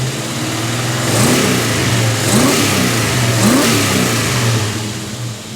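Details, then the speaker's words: 1956 Chevy small-block V8, first start after sitting two years, new HEI distributor and exhaust gaskets: revs blipped three times with a rough clatter on each rise, judged an exhaust clatter, plus a lighter tick that is less bad now. "it sounds to me more like an exhaust clatter down there the tickety tick is not as bad"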